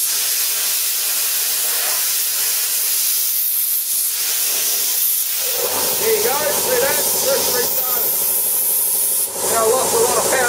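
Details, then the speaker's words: Plasma cutter at 40 A continuously on a small compressor, struggling and cutting slowly: steady hiss, then the compressor restarts mid-cut adding hum and chatter, and the combined load blows the garage circuit; circuit overload from compressor restart. "see that guys the circuit just blew for the plasma cutter and the compressor it just can't handle both at the same time it just don't have enough power and that's because i'm dragging so much air out of the co"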